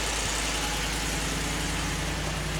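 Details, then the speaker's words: 2015 Ford F-150 4WD, 60,000 miles, Copart purchase with rear damage, just started: steady, even V8 idle with smooth low rumble, no rattles, ticks or knocks; engine sounds healthy. "oh yeah sounds good no rattle 60,000 mile truck"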